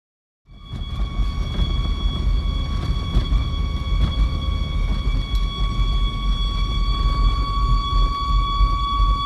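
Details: Volvo V70 XC rolling on the road with a steady, piercing squeal near 1 kHz over low road rumble; no noise at idle, only while the car is moving.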